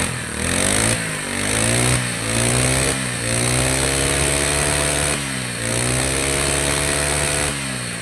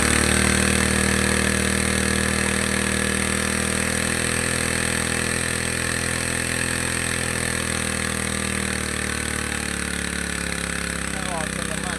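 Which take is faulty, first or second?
second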